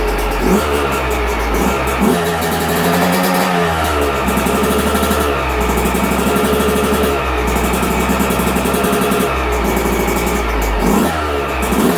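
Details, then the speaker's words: 2022 Yamaha YZ125, about 30–40 hours, after a top-end rebuild for a broken stock cast piston and lost compression; first fire on choke: kicks into life, then a crisp, steady buzz with light throttle blips while warming; healthy and clean. "Well, she's a runner."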